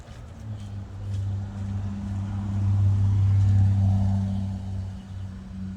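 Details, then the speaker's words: Outdoor AC condenser unit, previously humming without starting, now running after a $12 40/5 capacitor replacement, started from the indoor thermostat: steady low hum that swells then holds even, no buzzing or cutting out. Airflow weaker than it should be; coils very dirty. "Okay, now there you go, guys. We are back to working again and good to go."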